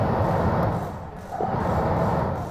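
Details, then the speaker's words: Car heater blower motor plugged in with the switch and AC control head on, its resistor ground wire jumpered directly to ground. Steady rushing airflow over a low, even motor hum, so the circuit from resistor to blower works. "Yep, y'all can hear that? It is blowing. Okay, the circuit is complete from the resistor to the blower motor."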